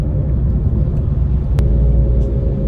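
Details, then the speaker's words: MINI JCW after a DIY engine rebuild and new suspension arms, on its first drive: steady low hum from the front, present in a straight line and turning left but not right; owner suspects a wheel bearing drone. "there's a drone, a hum coming from the front of the car. So I'm thinking it's a wheel bearing."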